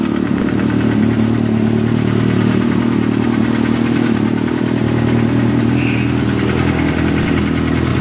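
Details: 2007 Kawasaki ZX-6R (Code 62 solved) with Yoshimura RS5 pipe, K&N filter, PC5 with Auto Tune, warming up: steady, even idle with a deep throaty note and no misses or knocks; normal, healthy idle.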